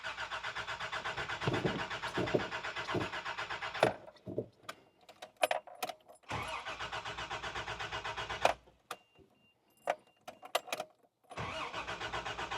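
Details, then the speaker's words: Barn-find 1989 Toyota Land Cruiser FJ62, sat 8 years, now with about nine gallons of gas: starter cranks in repeated bursts with a steady rhythmic whirr, nearly catches once (possibly leftover starting fluid) but never starts; cranks, no start, cause unconfirmed. "Oh, dang. Did you hear that? That time it almost started. Might have just been leftover starting fluid."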